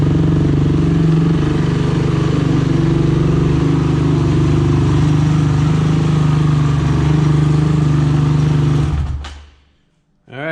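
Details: Honda TRX 450ER after engine rebuild, first start with new fuel line, carburetor O-rings leaking gas: steady even single-cylinder thump about nine seconds, then clean shutdown; running healthy with no knocks.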